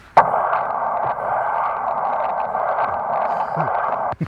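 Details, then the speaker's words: Leak detector microphone on the ground near a house, water meter running, no water at the surface: steady hissing rush for about four seconds; deep underground water line leak. "that's the sound of the leak all right we're going to dig this up and see if we're closed"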